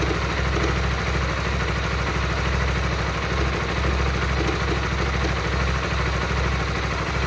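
Idle carries a steady low pulse with a faint irregular ticking over it; something sounds off, though the cause isn't clear.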